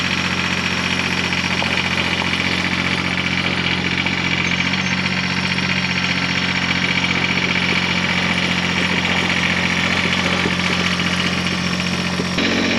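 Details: Cub Cadet 1512 tractor, Kubota D600 diesel, after gear-reduction starter upgrade; steady even diesel clatter at idle with constant low drone, no misses or knocks: normal diesel idle.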